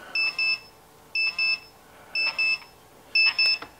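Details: 1951 General Electric clock radio with Telechron clock, hands coated in radioactive paint: radiation detector held against it gives paired high-pitched chirps about once a second, steady and insistent; radiation alarm.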